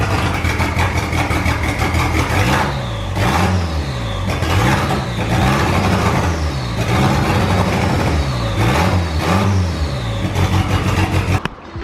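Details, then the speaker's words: Volvo 340 after engine swap, started again after sitting 10 years, most pipes still disconnected: engine idles then blips smoothly through several quick revs, dropping cleanly back with even note; normal engine revving. "Idles pretty well actually, considering pretty much all of the fucking pipes are disconnected. But yeah, done a bit of cable management. Just gonna start it up again now. Give it a little rev."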